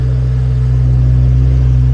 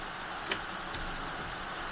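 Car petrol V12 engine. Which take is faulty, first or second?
second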